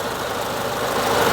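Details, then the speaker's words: 1932 Austin Heavy 12/4 Windsor, 1681cc side-valve 27bhp engine converted from magneto to electric ignition with fuel pump; just started, smooth steady idle slightly high while still warming, no knocks or misses; normal warm-up idle. "turn on the ignition turn on the fuel pump and there we go we just got our idling just slightly high while she still warming"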